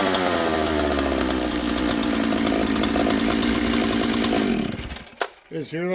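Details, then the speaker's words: Husqvarna 66 chainsaw on bench run after assembly, carburetor not yet adjusted: high even two-stroke scream at fast idle, slow to return to idle; running lean, attributed to air density and elevation. "You can hear it's lean. It's idling kind of fast and it's slow to return to idle."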